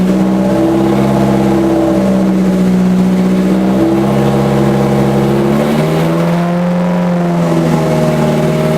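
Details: Scion FR-S with a rebuilt 3SGE engine swap on a new tune: smooth note rising and falling cleanly through several revs with no misfire or stumble; the engine pulls evenly and the tune is good.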